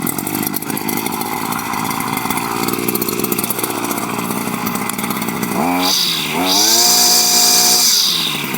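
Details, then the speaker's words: Two-stroke weed/brush cutter whose head won't engage or turn under heavy weeds; steady buzz, then revs climb sharply and hold high while the head fails to bite, the worn clutch slipping. Needs a couple of primer pumps to start. "ಇಲ್ಲಿ ನೋಡಿ, ಇಲ್ಲಿ ಎಂಥ problem ಅಂದರೆ, ಈಗ heavy ಕಳೆ ಎಲ್ಲ ಇದ್ದಾಗ ಇದು ಎಂಗೇಜ್ ಆಗಲ್ಲ, ತಿರುಗಲ್ಲ."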